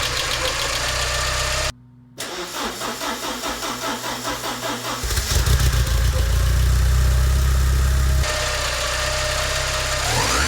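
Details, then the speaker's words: Porsche 944 after head gasket replacement, first start with cleaned fuel injectors reinstalled (debris in fuel rail suspected); starter cranks, engine catches cleanly into a steady, even idle, firing on all cylinders with no misfire. "with the injector issue resolved the engine is firing on all cylinders nice"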